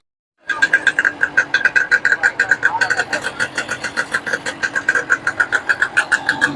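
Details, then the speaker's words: Yamaha two-stroke motorcycle after piston and ring installation: starts cleanly and settles into a crisp, regular pop about six or seven beats a second. Normal idle after rebuild. "तो जनाब जमा start कर दिया हमने, जमा तो ठीक हो गया।"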